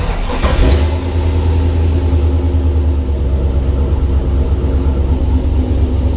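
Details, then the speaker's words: Toyota FJ40: the engine catches and settles to a steady low idle, with the pump barely audible as a light buzz. The new pump is much quieter. "it's running but I cannot hear it I barely can hear it it's almost just like a light light Buzz"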